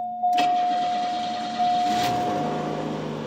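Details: 1985 Cadillac Cimarron, about 48,151 miles, cold start after months of storage on a half tank: starter whirs briefly, engine catches cleanly into a steady, even idle with no knocks or misses; oil pressure good, battery charging, no smoke.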